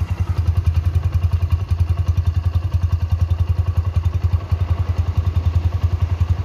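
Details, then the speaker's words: Original 2009–2010 Honda Mega Pro Primus, 29,000 km, factory-sealed engine, revved above 1000 rpm: crisp, evenly spaced exhaust beats rising and falling cleanly with no knock, tick or rattle; very smooth. "pulen banget nggak ada suaranya apa-apa ya halus banget"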